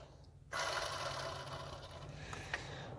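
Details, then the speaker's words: Mercedes CLA250/GLA250 with serpentine belt removed, water pump pulley spun by hand: rough, gritty grinding whir that slowly fades; water pump bearing is shot. "oh yeah listen to that sounds hideous bearing is shot sounds awful"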